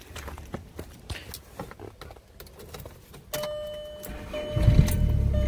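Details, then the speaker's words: VW MK4 Jetta TDI manual diesel, new battery, serpentine belt missing: starter churns a few seconds then it catches into a steady, even diesel idle; starts right up, normal. "starts right up without a problem and those lights are kind of dim there you go"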